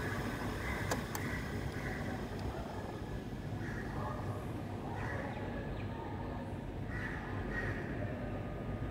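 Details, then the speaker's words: KDK KU408 16-inch wall fan at a school runs with a rough, gritty rumble and recurring high squeaky chirps; the motor bearings are gone. "and the bearings are gone i'm going to show the maintenance staff hopefully they can fix this"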